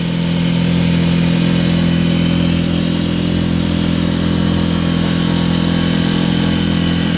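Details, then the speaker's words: Mercury 4 hp outboard after no-start revival, boat underway at full throttle, not quite planing: constant flat drone with no rise in pitch; owner feels revs are too low, suspects outboard mounted out too far, cause unconfirmed. "Got it floored. I don't hear the RPMs that I feel like I'm supposed to, but I've never owned this type of outboard."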